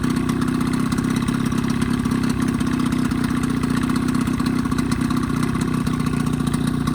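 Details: 1985 Evinrude 20hp two-stroke outboard modified to 25hp, after full service, new reeds, primer seals, thermostat; steady even idle with smooth low drone, no misses or knocks; earlier lean coughing and spitting fixed, running cleanly.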